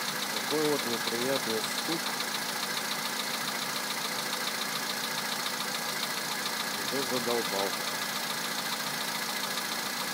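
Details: 2011 VW Polo Sedan, 64,000 km, cold start at +2°C, Liqui Moly 5W-40 oil filled to max, 98-octane petrol: quick even tapping knock at three to four beats a second over idle; after the oil change it knocks slightly shorter, source not pinned down.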